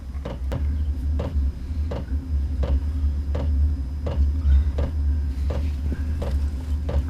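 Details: Cheap Chinese 8 kW diesel heater installed in a van in Minnesota, first test with the cabin at 1 °C: crisp, even ticks about every 0.7 seconds over a low fan hum as the dosing pump kicks on at startup, normal.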